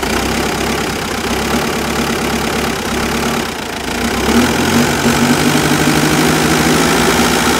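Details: Mitsubishi Pajero starts and idles rough with a lumpy, uneven loping beat near three per second; smooths out once revs rise, with only an occasional hiccup; cause not yet found.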